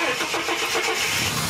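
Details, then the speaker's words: Ford AU Series II Falcon that stalled and misfired once warm, after replacing a damaged part: brief crank catches quickly into clean steady idle without stumbling; problem fixed. "with it all back together it not only ran but we'd actually fix the problem"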